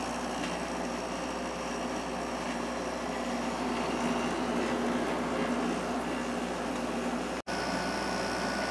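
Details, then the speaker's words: Emerson Quiet Kool window air conditioner after its fan motor was replaced with a GE motor from a Kenmore unit, compressor running a few minutes: steady, even hum with no rattles or squeals, cold air, quiet fan. Normal running. "compressor sounds great it's blowing nice cold air and the fan is quiet so I'm finally happy with the way this uh unit is"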